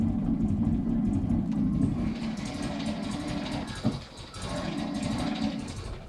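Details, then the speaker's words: 1969 Mini Pickup idling, loud raspy whirring grind when clutch pedal is pressed: clutch release (throwout) bearing completely worn and has been for many years; car also not charging and won't switch off. "I think it will pick up it's rather loud the throwout bearing on this is completely shut and has been like that for many many years"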